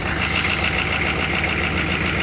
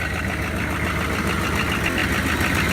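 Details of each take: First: Diesel truck with stock GM turbo and a PMD replaced a couple of months ago: steady, even diesel clatter at idle with no misses or uneven beats, idling normally. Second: Worn 6.5 diesel that leaks but doesn't overheat or smoke white: even idle clatter with a steady breathy hiss and puffing from the crankcase, heavy blow-by, yet it still runs and tows.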